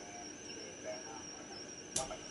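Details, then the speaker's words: Homebrew 80/40/20m SSB SDR phasing rig, direct-conversion receiver with audio routed through the Teensy and tuned off-signal with the RF amplifier off. A thin, steady, slightly wavering high squeal sits over soft hiss: internal noise, which changes when the Teensy is bypassed. "I'll tune off the RF amplifier. You can just hear that squealing noise,"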